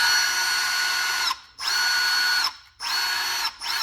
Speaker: it doesn't seem like it spin any faster on one or two